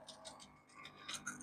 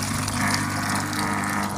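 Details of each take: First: Washing machine that will not drain: drain pump running with the drain valve opened, water flowing out; light uneven metallic clicks and rattles, probably from a coin caught in the drain pump. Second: Saturn/Deiant-type washing machine that wouldn't drain, after money was cleared from the drain valve: drain tap opened, steady low pump hum over rushing water, no clicking or rattle, strong flow into the bucket; normal drain pump running.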